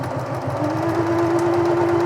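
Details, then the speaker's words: Singer Futura Electronic 2002 sewing machine from the 1980s, after its electronic board and motor were reinstalled and it was serviced, tested in reverse: smooth, even motor hum that climbs slightly then holds, no knocks or grinding; the reverse is an easy push, like brand new. "Yeah, nice, just easy. Nice easy push, like brand new."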